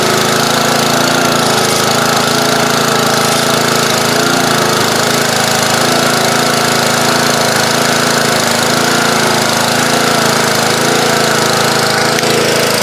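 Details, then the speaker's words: Old pressure washer small engine: steady, loud, rough-edged drone at constant speed without surging or misses; runs, though a slight carburetor blockage is suspected since it runs better partially choked. "well that one run go SWAT go put the air cleaner back on and uh tell Ralph we have a winner there's a slight blockage in the carburetor it sounds better if I partially choke it"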